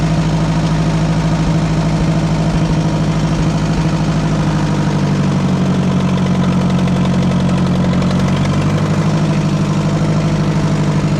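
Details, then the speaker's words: Oliver 550 tractor engine, oil change uncertain, just fired right up before hydraulic pump replacement: steady, even low idle with a constant rumble and no knocks or misses; normal idle. "thing fired right up. I'm impressed."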